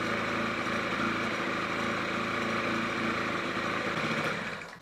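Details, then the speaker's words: Honda Gyro X three-wheeler two-stroke, revived after 10 years with new piston kit and cleaned tank and oil system: a steady, even buzzing run with no knocks or misses before it cuts off. "Ну что, ребят, удалось нам запустить этот самовар. Наконец-то, скажу честно, было это непросто."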